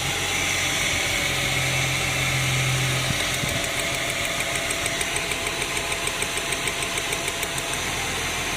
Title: Engine misfiring without check engine light in the cluster. Ford Falcon BF 2006 model.